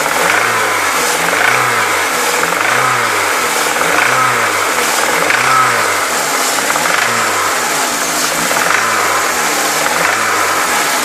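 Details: Peugeot 306 S16 petrol engine cycling up and down in revs, a swelling rhythmic note following engine speed; abnormal engine noise present, cause unclear.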